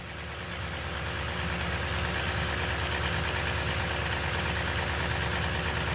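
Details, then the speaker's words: 2008-2022 Toyota Sequoia V8 cold start: after fan roar quiets, a light regular ticking rattle as it warms; driver-side ratcheting timing chain tensioner sticking until oil thins. "it's when it quiets down and it's like about to start warming up is when you start hearing the ticking"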